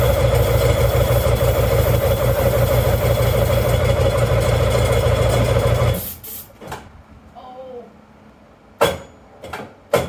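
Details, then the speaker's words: Old jet ski that sat for years: engine catches with a rough, uneven drone for several seconds, then cuts out abruptly; fires briefly then dies, battery to be charged longer. "get fired for like a half a second that's good"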